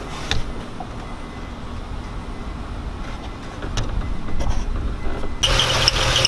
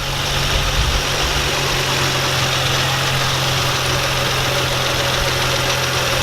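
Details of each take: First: Nissan 350Z at startup right after replacing serpentine and A/C belts: engine settles, then a thin high chirping squeak over the idle; belt tensioned too tight, likely serpentine side, to be loosened. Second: Nissan 350Z after replacing shredded A/C belt and serpentine belt and retensioning; steady even idle with constant low hum, no squeal or chirp; squeak gone and A/C works. Normal idle.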